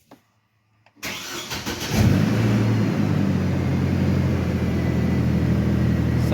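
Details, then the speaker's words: First start after new AC compressor fitted (old one seized), original belt reused: brief crank, catches cleanly and settles into smooth, steady idle with no odd noises; healthy start. "I'm not hearing any weird noises."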